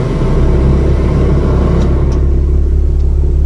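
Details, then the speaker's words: Hyundai Inokom Atos Prima 1.1 that used to shake in reverse, 2 and L, now fixed: deep steady idle rumble in D with no surging, stumbling or shaking; normal idle in gear. "masih stabil. 2 masih stabil. L pun masih stabil."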